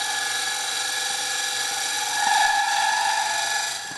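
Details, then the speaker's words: Turning a dry-wood bowl on a lathe: harsh steady high-pitched squeal with a buzzing edge as the gouge cuts, chatter caused by the bowl side flexing slightly. "And that's chatter. The bowl side is moving just a little bit."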